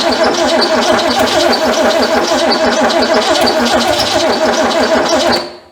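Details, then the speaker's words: Ford Fairmont sitting 35 years: steady starter churn about three beats a second for over five seconds, never firing; cranks but will not start, owner unsure why, possibly flooded. "it just it don't want to run I don't know what's going on with it no don't know what's wrong with it"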